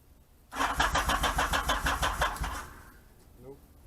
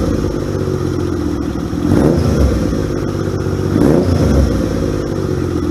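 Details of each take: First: 1978 Yamaha XS750 Special on its first start attempt after a three-week revival, fuel and choke on: about two seconds of steady electric-starter cranking at roughly three turns a second that never catches; cranks but won't start. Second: 1978 Yamaha XS750 Special twin revived after 3 weeks of work, choke on: runs strong and even, picking up cleanly on two throttle blips and settling with no misfire or popping.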